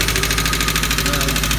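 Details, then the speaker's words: 1988 Subaru GL dual-range EA82 engine at idle: a fast, even, light ticking of about eight per second, sometimes louder, from one area of the engine. Owner is unsure if it is lifter tick. "aring some noises coming from the engine I'm not sure if it's lifter tick or not but I figured y'all could maybe help me out it's coming from right around this area"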